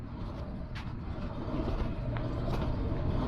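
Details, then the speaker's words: 2018 Nissan Frontier, front wheel spun by hand: low, rough humming grind from behind the brake, not just pad contact, pointing to a worn wheel hub bearing, later replaced. "can hear some grinding noise over there, like humming, grinding, and it's not just the brake pads making the contact over here. It's something behind as well."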